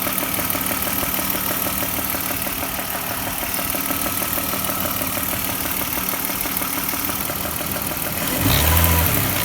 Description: I got this knocking sound, thankfully it was not an expensive fix! It was just loose spark plugs!